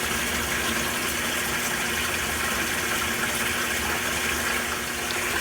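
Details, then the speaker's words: Hotpoint top-load washer in service diagnostic mode, pressure (water level) test after filling past 2- and 3-inch marks: steady hiss of water filling the tub evenly, no surging or pump strain; pressure valve believed to be working normally. "The 4-inch mark just got reached. I believe the pressure valve's working right."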